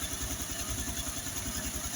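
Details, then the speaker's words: Honda Biz 110i that struggled to start and would not hold idle when cold, with engine noise, after removing the cylinder head, cleaning and lapping the valves: a quick, regular single-cylinder idle with no tapping or rattles. "Olha só o barulho desse motor, como ficou bonito, pessoal. Olha só. Agora o motor tá com um barulho original de fábrica, pessoal."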